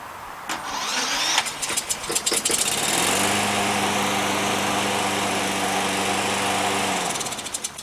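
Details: Craftsman Platinum push mower with Briggs and Stratton engine and custom electric-start wire harness: starter whirs briefly, engine catches within a couple of seconds and settles into a steady, even run; electric start works fine.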